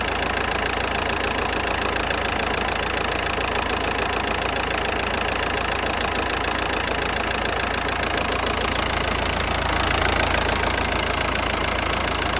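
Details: VW Golf 5 1.9 TDI diesel with a rough idle. A steady clatter about three beats a second with an uneven engine shake; cause unknown.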